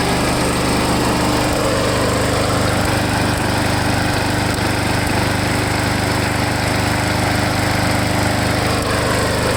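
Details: Lawn mower small engine running after Seafoam was added to the fuel tank to cure a surge; a loud, busy buzz holding a fairly even speed with only slight hunting, the surge clearing up.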